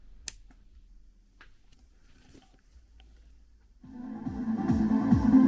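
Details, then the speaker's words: KRK Rokit 5 studio monitor after circuit board cleaning and resoldering repair; after a few quiet clicks, music plays cleanly with full bass and clear highs, both woofer and tweeter working. "Oh, yeah. You can hear now. The low frequency whooper is working and the twitter is working."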